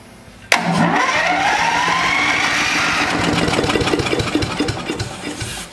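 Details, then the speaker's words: Neglected DR leaf vac small engine started on carb cleaner spray: it catches, runs ragged and uneven for a few seconds, then fades; carburetor problem, water suspected, and the bowl was found corroded. "all right well it's definitely got a carburetor problem so let's dig into that probably got water in it because I saw water coming out of the Monken"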